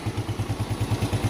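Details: Yamaha Jupiter Z1 (Vega ZR-type), after repair of smoke (scored bore and piston, worn valve stems) and rebuild: steady, even single-cylinder idle with light throttle blips, no roughness or misfire; engine sound back to normal.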